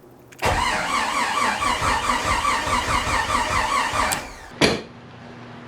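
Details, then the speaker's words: Freshly rebuilt Jeep 4.6L stroker on a start attempt: steady starter cranking with only a few uneven catches, then it quits with a pop. The distributor is suspected of being set 180 degrees out, on the exhaust stroke instead of compression top dead center. "here I am just gonna double check that I'm top dead center on compression and not top dead center on exhaust"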